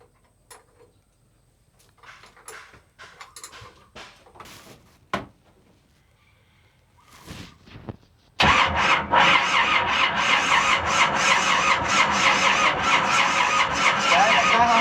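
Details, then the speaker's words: Boat engine starter after rewiring: it cranks hard at about three pulses a second but the engine never catches. The starter bolt is loose and makes poor contact, causing sparks, smoke and a burning smell; the starter overheats if cranked too long. "Se non è ben stretto, è un disastro. Il bullone è lento, non fa contatto."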